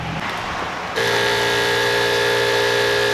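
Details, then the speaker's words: 12-volt self-priming water pump on a portable propane shower water heater, no propane connected: abrupt steady pump hum with light ticking about four times a second as flowing water triggers the igniter; normal priming. "All right, you can hear the pump priming."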